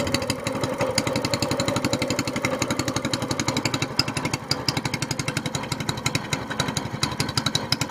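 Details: SPS Longtail mud motor, freshly built, starting on choke right after its first oil change following a 3-hour break-in, with 10w-30 Royal Purple synthetic plus BestLine. The single pulls in with a crisp exhaust beat of about four pops a second, firing steady and even; it is healthy.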